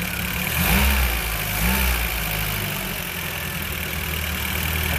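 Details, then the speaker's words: 1975 VW Scirocco after 34 years storage, idle pilot jet cleaned, vacuum leaks and drippy accelerator pump found, warming up; even low rumble idling about 800 rpm with no misses, smoking less. "can hear another one but she's idling idling about 800 pretty good"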